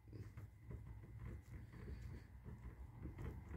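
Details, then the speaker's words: Mongoose department-store mountain bike about a month old, rear wheel rocked side to side: dull, irregular clunks about twice a second while the front wheel stays tight and silent; owner believes the rear hub bearings are already going. "yeah can you hear that the bearings are already going out on the back wheel"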